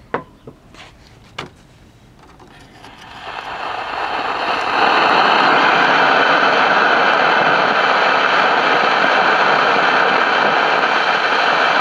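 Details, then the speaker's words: CBS 5-tube AM radio: a few clicks, then hiss swelling into constant loud static that the volume control turns down, so not the audio output stage; suspected failing capacitors inside the two IF cans. "so this noise is uh typical of the I the capacitors and the if can's going bad"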